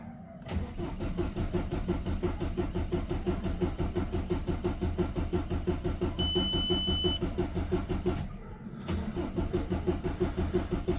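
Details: VW Passat diesel starting after sitting for some time: cranks steadily at about three turns a second but never catches, even on a second attempt. Fuel not reaching pressure is suspected; cause not confirmed.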